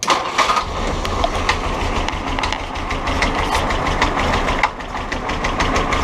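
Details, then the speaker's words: Willys Jeep CJ2A L134 engine, after oil and PB Blaster squirted into cylinders, burning oil with white smoke: starts and runs but rough idle with irregular tapping knock about three a second; internal knock, cause not confirmed. "So it starts right up and it runs good except for that knocking and the"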